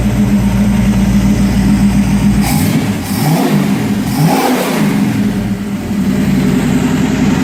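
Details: 1951 Willys Wagon with a used AMC 401 V8, Flowmaster exhaust and a temporary ignition setup: deep, steady idle burble with two clean throttle blips that rise and settle smoothly; healthy engine.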